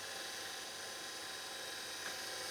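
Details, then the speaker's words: Panasonic S-VHS VCR PV-VS2841 (2003) after maintenance for a shrieking noise: steady, smooth high-pitched whir fast-forwarding with tape threaded, no squeal or shriek; transport healthy. "it's quite amazing how fast this is going with the tape all threaded through there isn't"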